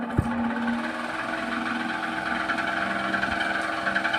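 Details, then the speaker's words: Table fan (jamming while running) runs with a ghyar-ghyar noise: hum with rough scraping buzz pulsing about four times a second; worn shaft and bushes grinding. "বন্ধুরা দেখুন এখানে ফ্যানটি কিন্তু ঘ্যার ঘ্যার ঘ্যার ঘ্যার করে আওয়াজ করছে, একটু কাছ থেকে তোমাদের শোনাচ্ছি।"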